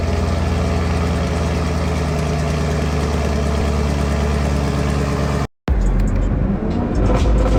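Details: 2021 Camaro 2SS 1LE V8, about 16,500 miles, after an earlier ticking sound that did not return: strong even low burble settling to steady idle, no ticking or knocking; engine healthy.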